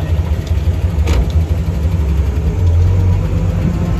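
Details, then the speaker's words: 1970 International Scout on its first drive in years sits at a fast, steady idle well above normal with a constant low drone. The owner suspects the throttle needs a better return spring. "wait i hear that it's running way too high"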